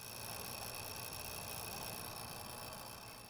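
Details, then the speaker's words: Outdoor light fixture with LED bulb via adapter: steady loud electrical buzz with thin high whining tones, microphone next to fixture, quieter in daytime but constant; cause was a failing dawn-to-dusk photocell, fixed by replacing it. "as I turned it on they would sort of flicker and make a loud buzzing the noise is a little quieter here in the daytime but it buzzes all day long"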